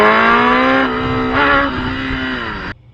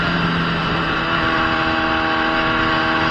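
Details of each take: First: Gen 1 Kawasaki ZX10R before repair: at full throttle the revs sag and pick back up twice, then cut off abruptly, randomly popping back in. The fuel pump sock is the first suspect. Mid-range power cut, suspected fuel starvation. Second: Gen 1 Kawasaki ZX10R after replacing the fuel pump and fuel filter sock: strong, clean pull with the tone climbing steadily, a quick shift, then it pulls again with no cut. The earlier fault was the sock or the pump. Normal acceleration.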